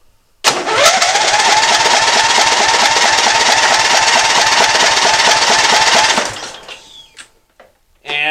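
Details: Lawn tractor with 16 hp overhead-valve Briggs & Stratton engine cranks at an even, quick rhythm for about six seconds but never catches; won't start, fuel or ignition issue being checked.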